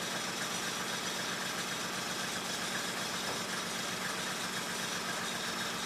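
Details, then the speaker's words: 1995 Mercedes E300, cold engine: slow, uneven idle with a faint irregular shake under the hiss; idle speed too low, rough idle. "Idle is rough when cold. It's just too low. It's idling too low."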